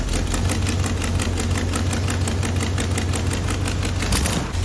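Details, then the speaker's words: Freshly rebuilt AMC 304 V8 in a '77 Jeep CJ-7, idling after carb mixture adjustment: a quick, sharp ticking puff over the low rumble from an exhaust leak at the stock Fel-Pro header gaskets, worse on one side. "I got one more thing to do, and that is header gaskets. I'm sure you could hear that exhaust leak, especially on this side."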